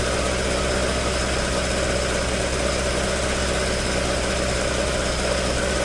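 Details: Toyota AE86 with 4A-G engine idling after an exhaust leak repair, back to the stock exhaust sound: steady, even idle with a smooth low rumble and no puffing or ticking at the exhaust; running healthy.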